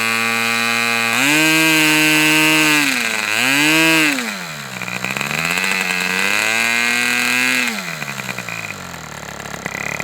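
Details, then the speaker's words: Fox Twin model engine at 77°F, lean low-speed needle: buzzy high-revving twin whose pitch sags and recovers as one cylinder drops out near 3600 rpm; low-speed needle needs dialing in about two more notches. "Looks like this low speed can be dialed in two more notches. Um, my ears are ringing. It was running really well there. Um, I think I recorded a low speed. My tac doesn't record hold the low speed, but I got down to like 3600 and it seemed like this cylinder dropped out a couple of time"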